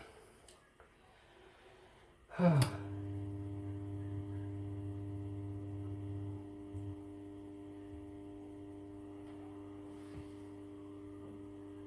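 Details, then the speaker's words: Siemens dishwasher with error E25, after the pump was refitted: a click, then a steady low hum with a faint even tone as water comes in; the machine fills normally while being checked for drips under the pump. "remplit [Applaudissements] donc on attend pour l'instant qui serait pas en train de se réinitialiser ok donc là il se rempl"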